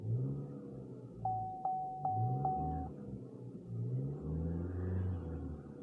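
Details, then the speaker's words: Salvage-auction car, shifts into drive and reverse fine, no dash warning lights: engine climbs and settles cleanly through several blips, smooth deep rumble, no knocks or misses; healthy revving. "she sounds good"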